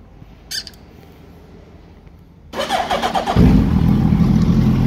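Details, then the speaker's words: Gen 1 Hayabusa after upgrade to a gen 2 radiator with twin cooling fans, aftermarket water pump said to make some noise: the starter cranks briefly, then the engine catches and settles into a steady, even idle with no knocks. Normal start. "the pump is chinese unfortunately so it makes some noise let's see to start it"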